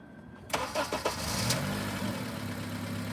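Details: Car checked for a suspected cold, infrequent misfire, started after sitting cold: brief crank, then catches and settles into smooth, even idle with no stumble; tailpipe transducer shows no misfire, healthy cold start.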